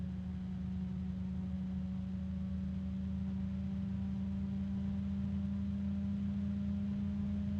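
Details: bgears b-Blaster 140 case fan, third unit after two with damaged bearings: steady low hum with constant pitch and soft airflow rush, only a very faint rubbing/harmonic resonance, no ticking or grinding; normal fan running.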